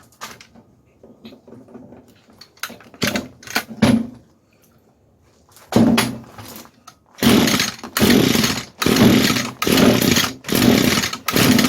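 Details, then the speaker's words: 22-year-old Echo trimmer, sat for years, primed with two-stroke fuel, at full choke and full throttle: coughs, catches and surges in short bursts that die off; carb not giving enough fuel, lean running, though compression is good. "Yeah, see, this carb is just not really giving it enough fuel. I can run it with the choke on. This is full choke, full throttle. But this carburetor is not happy."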